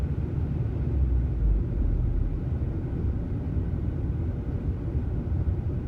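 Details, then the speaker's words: 2003 VW Passat 1.8T AWM, fully warmed up after a test drive, no throttle: idle rises and falls in a slow, unusually rhythmic oscillation with rough idle. Owner suspects vacuum leak; replaced broken elbow and PCV check valve, hunting persists, cause unknown. "not giving it any gas at all. It just oscillates like this. Fully warmed up, been on a test drive. It's not usually this rhythmic, but it is right now."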